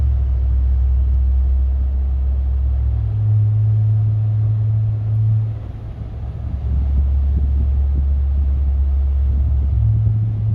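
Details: 2019 Ram truck, one year old and bought new, cruising: deep steady boom filling the cab, stepping between two low pitches; low-frequency drone present since new, dealer could not replicate or fix it, cause unknown.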